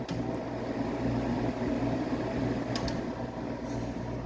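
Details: 1999 Whirlpool ACM052XH1 5,000 BTU window AC, about 23 years old, full charge, on high cool: a steady compressor hum under an even fan rush, no rattles. It runs normally, though the owner suspects a weakening compressor.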